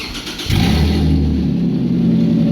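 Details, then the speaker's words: 2008 Toyota Hilux TRD 1GR-FE V6 during supercharger build, open headers with no exhaust, rear oxygen sensors out: engine catches and is blipped hard, loud raw bark climbing cleanly without misses; normal. "Wow. Dude, that sounds fucking insane. Listen to that. That sounds tough. It's got a bit of a V6 sound to it though."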